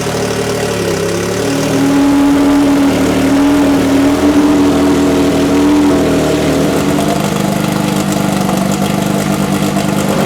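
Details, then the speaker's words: VKM Racing Team drag race car at Alastaro, Finland, 2016 Test & Tune: after first start, a small load test imitating a launch; hard, sharp note pulling cleanly, then even lumpy idle, no misses or knocks. "Esimene käivitus on tehtud ja meeskonna soovil tegime ka väikse koormustesti, ütleme siis põhimõtteliselt imiteerisime stardi hetke ja hetkel tundub, et lubab küll head."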